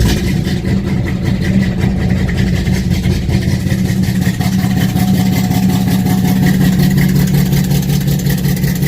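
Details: 1968 Dodge Charger R/T V8 cold start at about 40 degrees after pumping the pedal three times: deep, steady big-block burble settling into an even idle, no knocks or misses; normal cold start.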